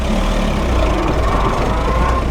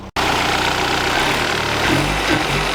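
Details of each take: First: VW Golf, after fitting single-port injection and new distributor: floored while driving, engine drones at flat low revs without climbing, bogging near stall; zero power, cause unclear. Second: VW Golf Mk3 with original parts refitted plus known-good Hall sensor, new distributor kept: steady, even idle, constant low rumble, no misses or stumbles; normal idle.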